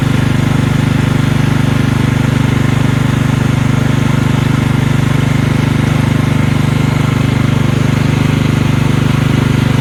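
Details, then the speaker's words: Marching band hauler small engine at full throttle after carburetor fix, before test drive; strong even low hum, steady firing about 3.5 beats a second, no sputter or flooding, no fuel leaks, purring like a kitten; normal running. "everything seems to be good engine's purring like a kitten now no fuel leaks"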